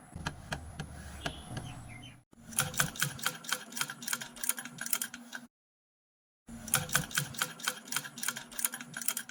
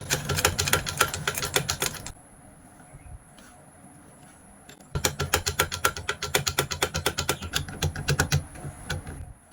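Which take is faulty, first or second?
second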